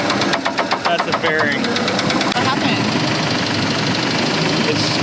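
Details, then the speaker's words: Budget boat outboard on sea trials, oil at full mark, after pull to 4000 RPM at about 20 mph: rapid, even, sharp metallic knocking; suspected rod or main bearing knock, not confirmed. "I think it's fun to rod bearing or a main bearing like the race car did"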